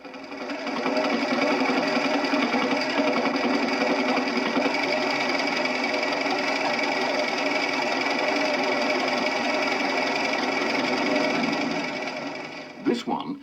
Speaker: a loose dynamo probably someone didn't tighten it up properly after adjusting the fan belt just hear how the clatter Kwan's as it steadied with a hand